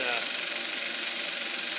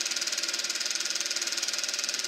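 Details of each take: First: Eberspacher B1 gasoline heater from a VW Beetle, bench test fire on second attempt: even airy roar with quick steady flutter, no misfire gaps; the burner has lit and runs normally. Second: Eberspacher B1 gasoline heater for a VW Beetle, bench test-fired with the battery charger connected: steady roaring hiss with even fast ticking, then the roar suddenly collapses to a faint hum; flame-out, cause unknown.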